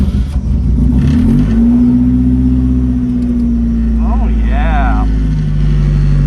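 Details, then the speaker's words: Rotrex-supercharged Miata on Haltech ECU with new coil packs and updated map: short crank, catches almost at once, steady idle with light rev; starts far quicker than its usual struggling cold starts. "Okay, so one thing I noticed immediately was it started up way quicker than it normally did. Usually it struggles out of cold starts."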